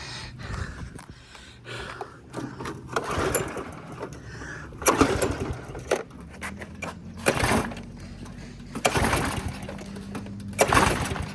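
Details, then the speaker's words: Craftsman pressure washer with a Briggs & Stratton engine, after cleaning a clogged bolt hole, in run position with choke in, about 100°F: four recoil pulls that rasp and never catch. Tank was empty because fuel leaked out when flipped over. "Well, you're not gonna believe this. When I flipped it over to take the thing off, all the gasoline leaked out. I just opened this up and it was empty."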